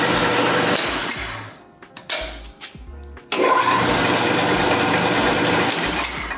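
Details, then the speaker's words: Ellis 1600 mitering band saw, new with defects: motor winds down, gives a few short choppy bursts and clunks, then catches and runs steady; worse the longer it sits unused. Hard starting. "just got to figure out this motor situation sometimes it's happy sometimes it's not and try it again here foreign ER it sits without being used the worse that problem is when you go to turn it on"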